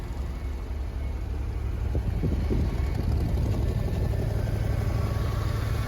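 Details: Old Champ forklift, unknown year, sat for years, running after carburetor cleaning on temporary fuel tank plumbing; low steady engine beat about three pulses a second, even and unbroken; normal healthy running.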